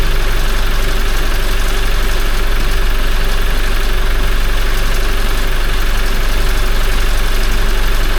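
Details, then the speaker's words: Toyota 1GD-FTV diesel at 40,920 km, start right after an oil change to Ravenol: steady even clatter with a fast regular timing-chain rattle. Rattle comes first while the hydraulic tensioner is empty, stops once it fills, then returns after a while. "Сначала затрещал, потому что система пустая была. Потом прекратился резко. Только заполнился, видимо, этот гидронатяжитель натянулся. Какое-то время прошло, начало трещать."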